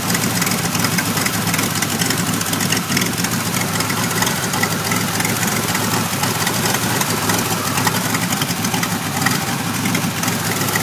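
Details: 1991 Pontiac Firebird V6 still setting codes 33 and 43: uneven, lumpy idle with a noisy clatter on top instead of a smooth hum; rough idle, cause not yet found.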